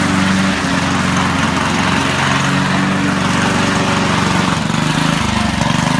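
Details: Honda HRD535 lawnmower after repair of gearbox/roller drive problems, steady even engine drone at constant speed, smooth hum with no knocks or misses; works satisfactorily, normal running.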